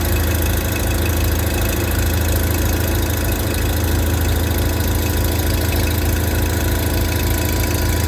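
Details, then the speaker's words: Customer's tractor with 15-40 Rotella diesel oil, just started cold after 10°F overnight: steady low thumping idle around 200 pulses a minute, even and without stumbling. Normal cold idle. "no issues with the 1540 10° all night this fired right up"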